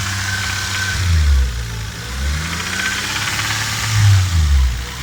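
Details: Toyota Supra 7M-GTE: rough, lumpy engine note with uneven thuds rising and falling as it revs; owner suspects an engine knock, cause unknown.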